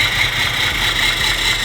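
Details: Barn-find BMW E34 525, parked 10–15 years after head gasket failure, just restarted: engine runs rough with an uneven, lumpy low pulse and harsh rasp instead of a smooth idle.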